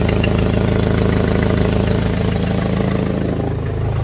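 Steady idle with a quick, even tick about four times a second riding on the low rumble, typical of an exhaust leak near the manifold.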